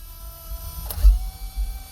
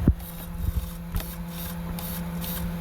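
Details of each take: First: Traxxas X-Maxx steering servo, powered via controller and ESC before conversion to a 1/10 servo; faint buzz with brief rough chatter and no firm hold, gears stripped and neutral position lost. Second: Traxxas XMAXX with a 1/10-scale servo converted in, first power-up before sealing: quick buzzing whirs as the steering sweeps back and forth with a steady hum between; servo working normally.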